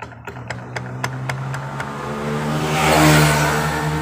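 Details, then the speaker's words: Yamaha Mio scooter CVT, cover open, engine running: regular clunking knock about four times a second at low speed, then revs climb; caused by loose roller housing and worn, wobbling rear pulley bearing needing replacement. "ini klotok-klotok kita akan coba cek dulu kampasnya barangkali dia sudah habis"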